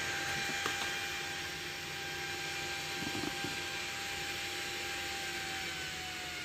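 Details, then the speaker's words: Homemade TIP41-based DC speed-controller module (12 V) driving a new 12 cm DC fan at maximum speed: steady high-speed whoosh with a constant level whine, no rubbing or ticking; normal healthy full-speed run. "nah ini saya akan putar ke kecepatan tinggi yang sangat kencang Ini anginnya"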